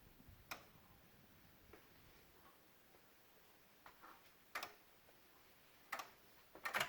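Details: 2016 Honda Odyssey, engine off, quiet cabin: faint irregular sharp ticks every second or so from near the PCM and VSA control module, with Engine, VSA, LDW and FCW warning lights on; source unclear.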